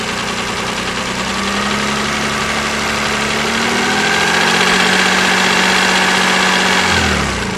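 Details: KF 2.0 engine running: fairly regular light tapping about four per second over the idle hum as revs rise slightly; resembles a hydraulic lifter but comes from the side, source uncertain.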